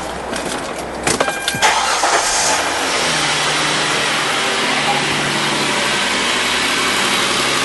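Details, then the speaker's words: 2006 Hyundai Sonata after replacing the vibration damper (harmonic balancer) and refitting the belt: the engine cranks and catches, then settles into a steady, quiet idle with no belt chirp or squeal. "All right, so now that we have the belt on, it's nice and quiet. As you can hear, there's no chirping, no nothing."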